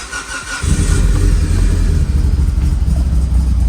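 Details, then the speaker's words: Mitsubishi Evo 8 abandoned restoration, not started in a long time, possibly flat battery or parasitic draw: fires right up, then lumpy uneven idle that stutters and breaks up; rough cold start, cause unclear. "Fired right up. Sounds like shit, breaking up. Not a happy cold start."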